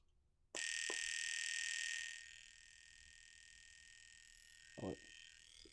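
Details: Fuel injector from the VTEC Bug, pulsed on a cheap cleaning bench while chasing an extreme lean idle problem: sharp clicks and a short hissing spray burst; it opens and sprays cleanly, normal.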